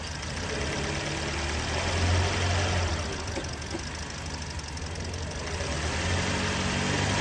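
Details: Toyota Yaris engine at an even, steady idle with a soft regular pulse about four per second, no squeal or rattle; healthy, in a drive belt tensioner diagnosis and replacement.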